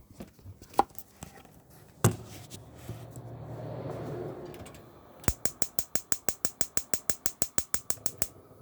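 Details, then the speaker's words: 2016 Swift Lifestyle 6 caravan hob igniter: a soft gas rush, then crisp, evenly spaced clicks about six per second as the hob lights; igniter working normally. "with the igniter on the front here as you can see and uh just to show you that it's working just going to ignite the hob up just very"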